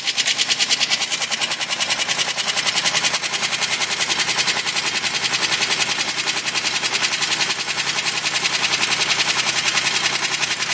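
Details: 2005 Chevrolet Equinox V6 at idle with a rapid, sharp metallic tapping after both heads were rebuilt (one crack welded) and head gaskets replaced. An engine tune-up additive cured it.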